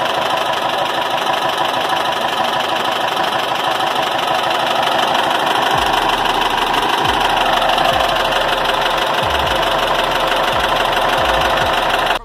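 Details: Air-cooled VW Gol BX after its clogged, leaking carburetor was repaired, recorded from a distance: steady, even idle with no misses or stumbles. Normal idle.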